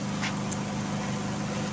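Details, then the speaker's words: Markes spin dryer after motor replacement: steady, even motor hum at constant pitch once the wobbling uneven load settles and balances; water draining, running normally. "Pagka pumirmis siya, nag-balance na. So okay na siya."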